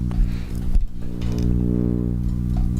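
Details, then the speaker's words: Shure SM7B mic through Cloudlifter and ART Tube MP preamp: deep constant buzzing hum, Darth Vader-like, picked up from the coil transformer in a 9-volt power adapter placed near the mic and cables. "So now the reason for that is EFI noise It's essentially, there's a coil transformer inside of the 9-volt adapter, and its proximity to any of these wires, again, here it is just on the wires."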